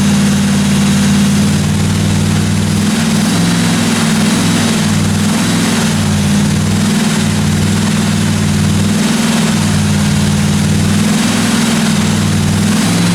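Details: 1957 Chevy 210 project car V8 during its first-run camshaft break-in of about 20 minutes: steady burble with a deep, even exhaust pulse and no top-end ticking or knocking; valve train sounded good, normal running.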